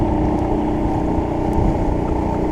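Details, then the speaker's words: Mercury 50 outboard on a boat under test after a long project, throttle still needing adjustment: steady, even drone with a firm low rumble and no knocks or misses over the water noise; running smoothly. "everything things be running back running smooth water puff straw sound good looking good"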